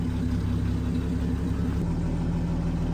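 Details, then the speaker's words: Dodge D5N truck, 245 Hemi six, first start after 5 years sitting, after new fuel line and priming fuel lines: steady, even low idle, smooth rhythm, no knocks or misses; normal healthy idle. "But... listen to that. That is just wonderful."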